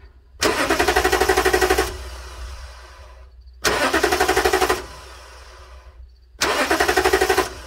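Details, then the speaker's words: 2009 Toyota Tundra 5.7 with intermittent no-crank, starter relay bypassed with a jumper: three bursts of rapid chattering clicks, engine never turns; faulty starter solenoid. "so the solenoid is the problem on the starter but we're going to change the entire starter"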